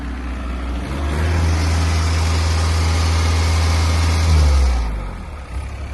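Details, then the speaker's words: CAT 304C compact excavator diesel engine revs up smoothly, holds steady, then settles back to a quiet auto idle. Everything seems tight; normal engine rev. "Everything seems tight on it. And, um, as you can hear, it operates well."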